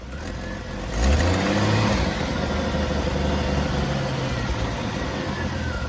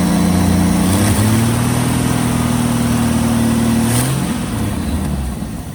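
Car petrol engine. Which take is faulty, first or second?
second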